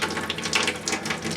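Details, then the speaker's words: Well-pump cabin, spring refill after winterizing by compressed-air blowout, aerator removed, pressure still low: water spits in uneven hissing bursts with no steady flow. Faucet sputtering from air in the lines. "Like I said, it's going to spit and sputter for a while, but this is why you leave the aerator out."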